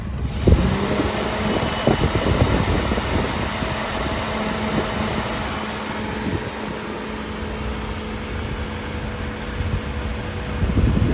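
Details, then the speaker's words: 2005 Suzuki Alto, about 147,000 km, after engine bay washing: radiator fan drones steadily as soon as ignition is switched on, running continuously; relay area overheated and its pins melted, water-damaged ECM found faulty and replaced. "സംഭവം ശരിയാ കേട്ടോ ignition on ചെയ്യുമ്പോഴേക്കും automatic ആയിട്ട് fan കറങ്ങി കൊണ്ടിരിക്കുകയാണ്"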